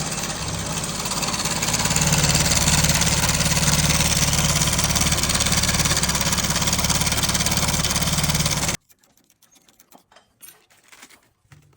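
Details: Idling single-cylinder motorcycle: fast, even ticking about three and a half per second, suspected slack timing chain noise, not confirmed.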